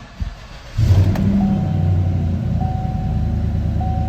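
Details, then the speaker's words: 2017 Chevy Silverado 1500 5.3, crank no-start with low fuel pressure despite a new pump and module, traced to a broken wire; with a jumper bypassing it, brief crank catches within a second, then steady even idle, chime audible. "Now we have right around 60 PSI on the low side and 1700 on the high side. As you can see, this vehicle is starting and running."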